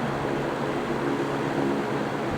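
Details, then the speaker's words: GE box fan (three-blade model) running: steady, even whoosh of air with a soft low hum; little startup sound and no motor buzz, which was a common issue on W22 models; normal operation. "And you may notice that this fan does not have nearly as much of a startup sound to it as any of the other fans in here do."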